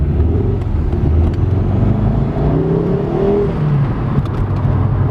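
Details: Ford Focus XR5 turbo five-cylinder with an oil leak, on the road: a deep rough growl pulling away, with sharp clunks and knocking from the front as torque comes on and the engine jumps. It is worse when floored, milder with gentle throttle; cause unconfirmed.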